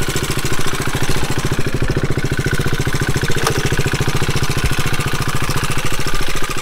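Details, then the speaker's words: Motorcycle engine at idle with a fast, very even clack, about a dozen per second, riding over the idle. The wrong oil is suspected of having been run in it for a while. The owner will recheck for metal chips after 500 miles. "That's one cylinder. Yeah, that sounds like crap, huh? Maybe it's not so bad."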